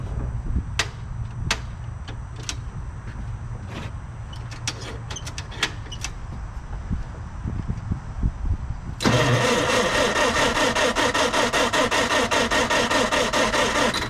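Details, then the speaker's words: Newly bought project machine, oil overfilled and smelling of diesel, fuel pump working, battery weak: engine catches and runs with an uneven, lumpy beat; suspected dirty or flooded carburetor or lost spark. "I think the carburetor is just trashed up. Maybe it's flooded. Maybe we lost spark."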